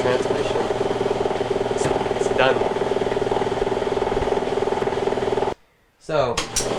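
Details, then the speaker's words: Maytag MAV7600AWW washer with no-drain and burning-smell symptoms: steady mid-pitched gear whine with a rapid rattle, about four per second, while agitating, loudest from below; a failing gear in the transmission assembly is probably causing pressure. "we just found out the issue that noise that you hear right now is coming from the transmission one of the gears in the Transmissions probably turned to fail causing a lot of pressure in the transmission"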